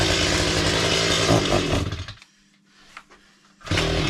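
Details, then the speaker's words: Chainsaw on a cold, snowy day, test-run after repair with a full fuel tank: it screams at full throttle, then falls almost silent for about 1.5 seconds before catching again. It still runs far too lean on the throttle. "So, I have done a quick test run and it does not run as it should. [snorts] It's too lean on the throttle. Still seems to go very very lean."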